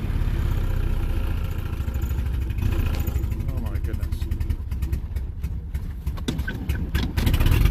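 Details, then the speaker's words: Small car treated with Sea Foam: slow uneven idle around 500 rpm with skipped beats and lumpy hit-and-miss pulses like a drumbeat, tapping the injectors didn't help. "totally sounds like a hit and miss foreign [Music] sounds like a drum beat"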